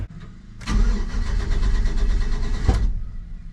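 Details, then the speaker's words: 1985 GMC Sierra C10 with 5.3 LS swap, at a tuning shop: short crank, sharp backfire pop, then it starts right up into a lumpy idle; cause unclear. "backfire and then it starts right up"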